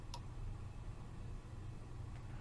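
Two crisp single clicks about two seconds apart over a low steady hum; the relay switching on, then off, as it should.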